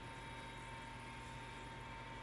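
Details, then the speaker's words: Gas fireplace blower fan in a house in Canada, running to blow warm air out; steady low hum with a faint whine near 1 kHz; owner believes the fan is near end of life. "simți acel zgomot Acesta este ventilatorul care se rotește pentru a sufla aer cald afară și este aș spune că este deja în ultimul e capac de viață"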